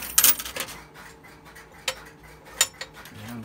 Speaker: I'll place a nickel and a dime. When I hang up, the coins will be returned into the coin box.